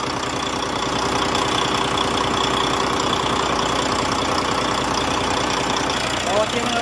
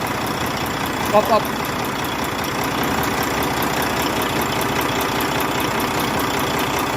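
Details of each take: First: Volvo truck diesel, likely D13; even idle with steady beat and no valve tick; normal idle. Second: Volvo truck diesel (D13) idling; quick, steady light ticking over the rumble, sounding like loose valve lash in the top end.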